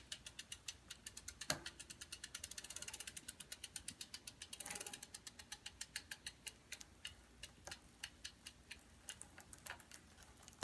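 Light metallic ticks, roughly five or six a second, quiet otherwise: the chain clicks steadily as it turns, cause not found.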